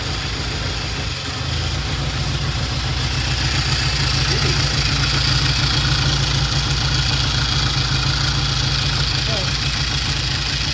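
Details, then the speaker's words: 1960 Triumph 350cc 3TA twin, started on the second or third kick: a steady, even idle beat with no knocks, misses or rattles; good oil flow, charging, sounds healthy. "so it's uh sounds good uh good oil flow we checked it started right up second or third kick and uh good idle"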